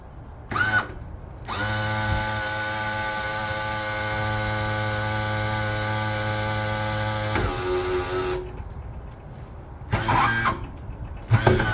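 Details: Roughly 2007 Suzuki DF250 outboard trim unit, recently drained, refilled and bled level with AW46 fluid after a cap leak, rust cleaned from all 3 cylinders: steady strained pump tone, then groan and squeal only trimming down as the trim rams take load; normal going up; cause unclear.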